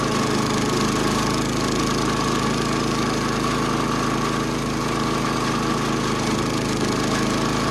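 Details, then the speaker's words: 70-year-old National reel mower with Clinton single-cylinder engine, after new flywheel, points, tank flush and carb clean, mowing with steady even drone, no misses, surging or flywheel-area noises; normal running under load. "No more unhappy noises from underneath the flywheel cover. No more uneven running from the iffy spark."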